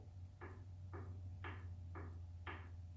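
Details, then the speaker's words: Differential with the ring gear rocked by hand while backlash is measured on a dial indicator: light metallic clicks show play between the ring and pinion gears, reading about 0.011 in, a little out of spec. "hear a little clicking sound. That is a little bit of play we have between the ring gear and the pinion gear."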